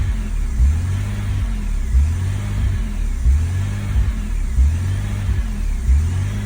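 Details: 2001 BMW E46 330Ci with MAF sensor unplugged, warm idle: idles high and revs swell and sag on their own every second or so with no throttle input, a hunting idle; owner notes little power and red-hot cats, cause unknown.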